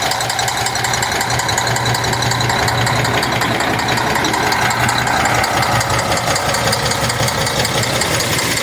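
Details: Cummins ISX 870 truck diesel at idle after injector replacement and overhead adjustment: rough, slightly uneven clatter under loud fan roar; owner says it still sounds like a miss.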